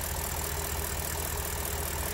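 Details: BMW N62 V8 that suffered random multi-cylinder misfire: even, steady low idle with no stumble or miss breaking the rhythm; running smoothly.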